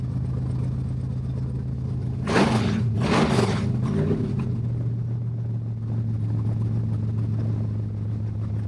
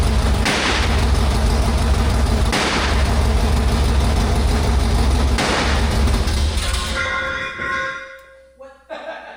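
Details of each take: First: Stroked 400 big block Dodge/Mopar, first run after work, no brake booster or exhaust fitted yet, temp 180–200 with fan cycling, no leaks: deep steady rumble with quick throttle blips, even and clean, sounds good. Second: Stroked 400 big-block Dodge (Mopar) cranking with MSD ignition: heavy low rumble broken by a deep boom every two to three seconds, backfiring through the exhaust; timing suspected, plug wires had been moved, distributor untouched since dyno.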